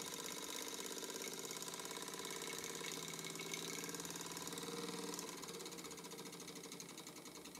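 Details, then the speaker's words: Old Mamod TE1A model steam traction engine before rebuild: fast regular ticking knock about three per second, easing as it slows, because the badly bent bracket leaves the crankshaft out of line with the oscillating cylinder. "I think it's time for some slow-motion as you can hear is docking of it but this is hardly surprising the bracket that supports the crankshaft is very badly bent so the crankshaft isn't even in line with the cylinder"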